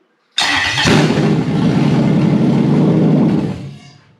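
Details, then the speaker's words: Toyota 1UZ-FE non-VVTi V8 with a non-immobilizer unit in place of an immobilizer ECU: starter whir, the engine fires and revs briefly, then dies within about three seconds as the immobilizer cuts it. "you see it started quite nicely and it ran quite well and and then it didn't that's because this unit said to stop because of the immobilizer"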